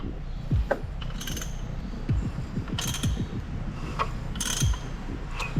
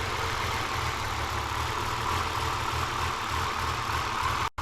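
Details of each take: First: Rebuilt RB30 engine in Nissan 300ZX Z32, first start: engine turns with a rough grinding clunk about every 2.5 seconds; no marks seen under the covers, noise thought to be behind the timing cover. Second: Rebuilt RB30 engine in a Z32 300ZX on first start with Haltech management, after earlier bad noises: smooth, even idle with steady low rumble and airy hiss, no knocking or rattle; sounds healthy and quiet.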